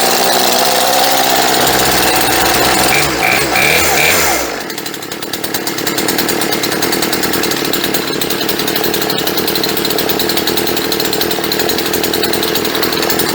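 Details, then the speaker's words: Chainsaw two-stroke revived after sitting 4-5 years, new fuel lines, choke off after first start: revs high, drops, settles into steady even idle; running well, idle set slightly low before carburetor tuning. "Okay, that sounded pretty good. You can tell the idle set a little bit too low, but in order to tune the carburetor, what we're going to do is turn the idle up just a little bit extra."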